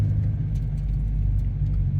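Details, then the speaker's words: 2022 Subaru WRX on a test drive after going back to stock sway bar end links from clunking adjustable ones: only steady low road rumble, no clunks or knocks over bumps; quiet, normal suspension. "so here we are doing another drive and as you can hear you hear nothing the stock end links are back"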